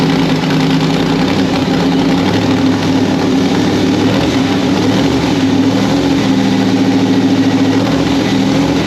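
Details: 1993 Ford Mustang Fox Body with a fresh 351W 5.8L V8 swap, static ignition timing set near 10–12° after a messy idle: loud, steady idle with a fairly even lope and no ticking or knocking; normal idle.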